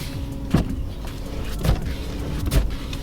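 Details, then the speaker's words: Stationary car with coilovers, wheel turned at a dead stop after adjustment: three sharp pops about a second apart as the front coil spring binds and releases, now less often; the coils may need tightening further. "now when I'm turning the wheels the coilover spring bind up is not happening as often so it's not making that like super gnarly noise"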